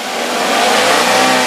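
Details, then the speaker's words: 2011 Daihatsu Gran Max 1.3 pickup, free revving: clean, smooth, even note with no knocks or rattles; no strange noises, engine healthy with good power, only a slight valve cover gasket seep. "digeber pun aman gak ada suara yang aneh-aneh gitu jadi kondisinya memang benar-benar ini masih jadi kondisi mesinnya itu masih enak tenaganya masih ada"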